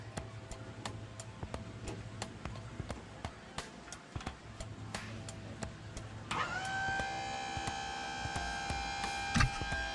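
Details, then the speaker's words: Ford Mustang Terminator Cobra, newly installed intercooler pump run with its relay jumped; steady ticking, then a loud, thin, fixed-pitch whine, the pump likely running dry and not circulating coolant, probably needing more water. "Can you hear it? It is on, but it's not swirling, so I probably need to put a little bit more water in her. Oh, that was whining real loud."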